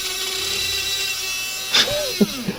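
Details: HO-scale monorail, not used in a while: thin steady high motor whine with no rhythm of movement, motor spinning while the car goes nowhere; owner suspects wheel slip on a dirty track section, unconfirmed.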